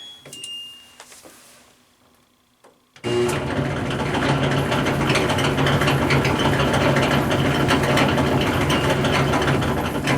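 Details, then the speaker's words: LG Tromm front-load dryer running empty: loud steady clunking, about two knocks a second, worse with clothes; worn drum roller suspected. "today I'm dealing with a dryer that's making a very loud clunking sound when you turn it on I'll show you what I mean"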